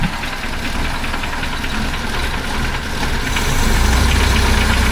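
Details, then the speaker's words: 1976 BMW 2002 E10, cold on high idle, first run in a month or two: a rapid, fairly even knock of about three to four per second over the engine. The owner expects it to go away as it warms up and thinks it's the oil filter, not confirmed. "I don't know what that knocking is in there, but out as soon as it uh warms up. I think it's an oil filter."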